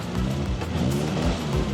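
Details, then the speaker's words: Classic car restored after decades in storage, engine heard running by owner for the first time; short revving burst with pitch rising and falling cleanly, no knocks or rattles, healthy engine. "yeah sounds good does sound good the first time you've heard that engine"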